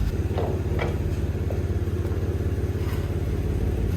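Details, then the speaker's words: 2005 Lexus RX330 idling, heard from outside: quick uneven puffing tick about three per second, low and chuffy; exhaust leak at a rusty, busted flange bolt, pipes fine. "yeah I think the exhaust is leak is coming on the"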